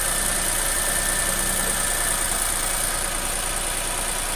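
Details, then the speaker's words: Nissan Almera after replacing one failed ignition coil (of three, first failure in 10 years) with an aftermarket coil: steady, even idle with no misfire stumble; engine runs normally. "10ปีเพึ่งเสียหัวแรกนะครับเครื่องก็เดินปกตินะ"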